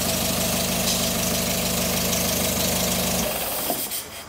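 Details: Rebuilt and prepared Renault Colorale/Frégate type 668 engine, 80 hp DIN, first start: even, steady idle with smooth regular beat, no knocks or rattles, then shuts off cleanly; sounds healthy.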